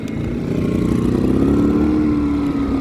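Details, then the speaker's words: Pulsar inverter generator after a surging fix: a steady, even drone with no hunting. The surging was caused by a carburetor paper gasket letting extra air in. "I'm going to show you how it's running right now. Beautiful sounding machine right here, and all it was that little paper gasket."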